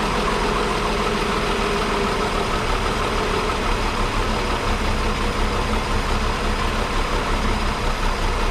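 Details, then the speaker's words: 1961 Ford Falcon Delivery engine at idle after restart: steady even idle with a deep low rumble and no ticks or knocks; sounded better on startup than before, when parts seemed poorly lubricated. "you all definitely sounded better on startup on this one i don't know about you guys"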